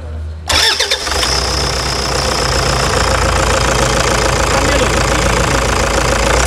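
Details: Diesel: quick crank, catches at once and settles into an even diesel clatter with steady idle; sounds healthy.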